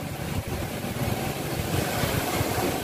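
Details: Engine 411, a small two-stroke, hard to start and only running when primed with fuel. It sputters rough and uneven. Many score lines on the cylinder wall leak compression, so it won't start; the carburettor was already cleaned.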